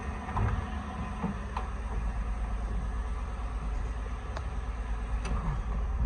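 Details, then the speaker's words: 1965-66 Ford F100 on a Crown Victoria frame, first run after swap wiring with PCM ground hooked up: deep, even V8 rumble rising smoothly with a little throttle, no knocks or misses; healthy revving. "She runs. There she is, running. Sounds good too. Sounds pretty good. A little bit of gas."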